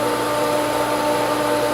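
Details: Pool pump at spring opening pulling prime with air still in the line; constant motor whine with a hissy airy edge.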